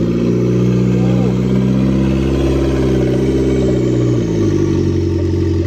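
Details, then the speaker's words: Mitsubishi Lancer turbo, first start-up after about two months, jump-started, earlier oil leaks: engine revs rise and fall with rough cold-start drone and a faint rising whistle as the turbo spools up normally. "I hear the turbo. I hear the turbo spooling up."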